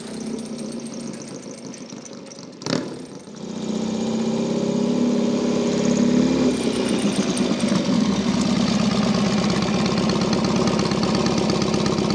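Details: Norton P11 Ranger twin, just finished after 15 years off the road: fires up after a sharp start, then settles into an even, steady beat as it pulls away up the drive; healthy.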